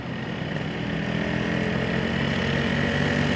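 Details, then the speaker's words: Two-stroke on Axsonlube 2T, pertalite fuel, stock carb, aftermarket Crun block, FIM standard-size piston, running at easy pace: a rough, gravelly beat with a harsh scraping edge. The piston rings are scuffing the cylinder liner. "tuh dengar enggak suaranya tuh kayak k suara gesekan antara ring Piston dengan dinding linernya itu tuh dengaran banget"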